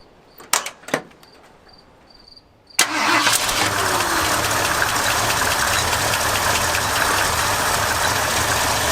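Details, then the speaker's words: 1978 flood-damaged truck after patching rotten fuel hard line: a few cranks, catches and settles into a steady even idle; engine starts and runs well, though plastic fuel filter leaks. "okay main voyage time we'll deal with that fuel leak later fire it up yeah runs pretty good flooded"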